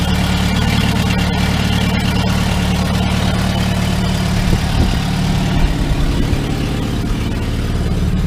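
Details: 2002 VW Gol after starter motor rebuild and injection harness connector repair: engine catches and settles into a steady, even low idle with no missing beats, smooth on all four cylinders.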